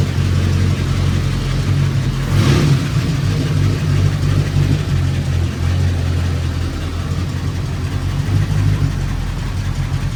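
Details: Engine restarted after a suspected timing problem was put down to a gas issue: a smooth, even low idle with a steady deep hum and no misses, knocks or hunting. It runs cleanly.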